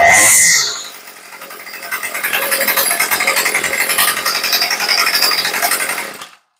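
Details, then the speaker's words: Craftsman two-stroke weed eater after carburettor rebuild, tuned by ear with the L (idle) screw: steady buzzing idle then clean high even rev and drop back, no stumbling or bogging; came up close right off the bat, normal idle and revving. "and that's it now this one came up pretty close right off the bat"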